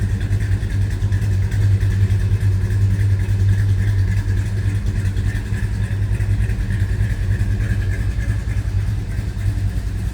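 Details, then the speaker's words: 1970 Dodge Super Bee, original Magnum 440 Six Pack V8, shortly after cold start: deep, loping burble with uneven choppy beat from the big cam, holding steady without stumbling; healthy idle and exhaust note. "That exhaust note puts a smile on that bee's face."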